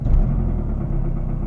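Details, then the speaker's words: Mazdaspeed 3 at warm idle after a 7-mile, 27-minute drive: deep, low rhythmic thumping with no sharp rattle, faster at higher rpm and slower at idle; owner suspects timing chain slap, unconfirmed. "it's that dumping and it changes as i'm i'm driving if i'm at a higher rpm of course it's a little faster and if i'm uh at a lower high rpm or if i'm idling it's a little lower and that's the that's the thing i'm not sure what it is but uh i keep thinking it's the timing chain"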